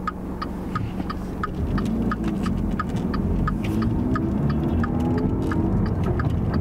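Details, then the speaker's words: Dodge Dart rear wheel bearing, heard inside the cabin on a quiet road at a constant 55 mph: low steady droning hum with slow throb that tracks wheel speed, unchanged by shifting; worn rear bearing. "most wheel bearings when they fail the first way you're gonna notice it is from a noise inside the car it'll have like a humming sound or a whirring sound"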